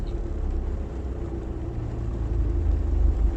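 Low, even engine hum at idle with a steady rumble and no knocks or groans; normal idle with the clutch down.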